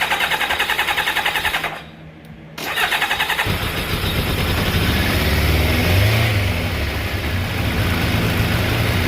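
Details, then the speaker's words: Kawasaki ZZR600 Ninja four-carburetor motorcycle, cold on choke, before carb synchronizing. Long cranking with a pause, then it catches into an uneven, lumpy idle. Hard start because fuel drained back from the carburetors. "hard start because all the gas receded backwards so we don't have any baseline bounce yet"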